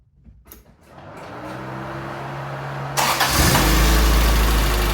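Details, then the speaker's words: Toyota Tercel, freshly reinstalled 3A-C engine, started cold with no coolant hooked up yet to set ignition timing. Catches and settles into a steady low hum, then gets louder and rougher. Just running cold. "That's 10. It's just cold."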